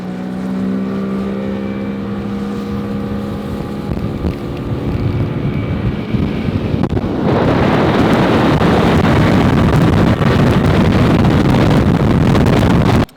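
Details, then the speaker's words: 2005 Mercury 50 HP outboard replacing a burned 1988 Mercury 50, first water test: even idle hum rising to a smooth steady roar under load, no misfire or knock; quieter, smoother and 3 mph faster, normal running. "during our test drive however we found out that this motor is not only quieter it's smoother and it's also faster"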